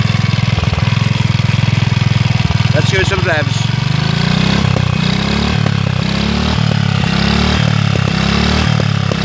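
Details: Villiers Mk 12 stationary engine running on butane camping gas via a regulator: a rough start settles into an even, steady single-cylinder beat with a firm low thump, running cleanly.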